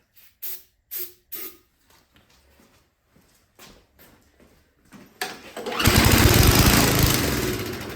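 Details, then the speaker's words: Toro 521 snowblower that sat with no gas, owner couldn't start it: several pulls with no catch, then a brief roar on starting fluid that dies away; no fuel delivery, later traced to carburetor float needle stuck. "spray some starting fluid in it and see if it fires"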